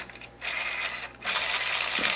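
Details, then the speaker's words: Slash 4x4 RC truck, rear driveline being assembled upside down: jackshaft spinning with two bursts of fast, high-pitched gear chatter, grinding against the chassis because nothing holds it yet, before the slipper clutch is fitted; expected, normal. "You can hear it spinning, and it's grinding because nothing's holding it from hitting the chassis. So that's normal if it's grinding."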